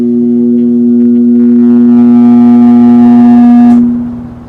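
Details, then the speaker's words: 1969–70 Sears Kenmore (Vernco) box fan, 3.7 A, 1/12 HP motor, possibly Westinghouse. A loud, steady low electrical hum that, after switch-off, fades away over about a second instead of cutting dead; cause unknown. "did you hear the sound Fade Away there in the end if anybody knows what that is drop a comment down below and let me know because I have never heard an electrical resonance fade out like that here I'll do it again"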